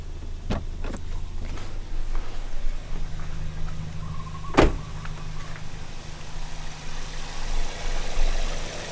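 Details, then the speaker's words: Toyota Yaris one month after a 1ZZ throttle body swap, parked at 0 mph: quiet low petrol idle with a short rev, then it settles back and holds steady, a few cabin clicks; normal idle, no check engine lights. "yeah so seems to be holding okay seems to be still good"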